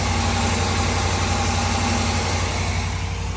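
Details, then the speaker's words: 2021 Ram Limited Longhorn 5.7 Hemi eTorque after replacing cracked exhaust manifolds with BD Diesel units: steady, smooth V8 idle, no ticking or exhaust puffing; quiet like a new truck. "It's so quiet. That's perfect. It's a new truck again. Sound like a brand new truck, buddy."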